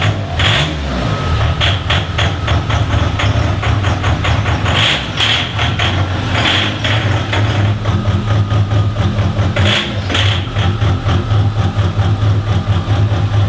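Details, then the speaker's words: Diesel in a DervBus project, idling; timing light shows stable timing with marks in line, ECU in sync with engine; even regular clatter over smooth low rumble, no misses — normal idle. "the timing is stable so that is a good sign it means everything's working as I expected it to and the e you is in sync with the engine"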